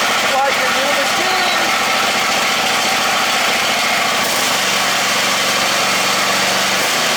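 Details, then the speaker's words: Poulan Pro, fuel turned on, starts and settles into a steady, even idle with no misses or knocks; good runner, healthy. "so looks like we got a good runner see idle's nice"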